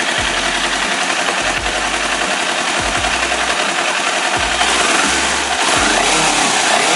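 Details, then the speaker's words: 2018 Kawasaki all-new Ninja 250 twin with slip-on racing exhaust, stock header and catalyst, blipped: harsh, rattly mechanical roughness through rising and falling revs is this bike's normal factory character (owner thinks factory clearances set loose), not a fault. "Kangen ya seperti itu suara kasarnya motor ini tuh ya bener-bener terdengar nah buat kalian yang baru naik Rini atau baru beli motor ini jangan kaget kenapa Jangan kaget karena itu memang bawaan motornya"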